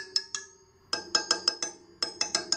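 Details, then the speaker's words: Sur Ron Light Bee wheel spokes checked by tapping each one; sharp taps with one giving a dull thud instead of a ping, showing that spoke is loose and needs tightening. "the right so I'll see that it's kind of loose they don't make that pinging sound like kind of like a thud"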